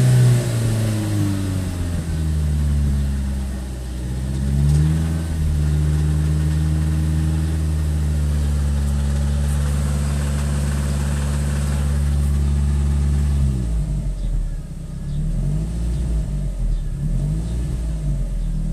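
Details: S3 petrol engine idling and revving: low, uneven knock under the running note from big end bearing failure, with the sump found full of big end shavings.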